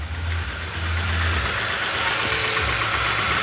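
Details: 2011 Hyundai i20 petrol engine idling with an uneven, lumpy beat and irregular low thumps; misfire traced by pulling connectors one at a time, cylinder two clearly at fault, injectors next to check.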